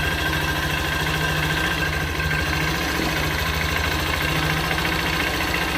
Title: Motor Baru Ko suara Mesin Kasar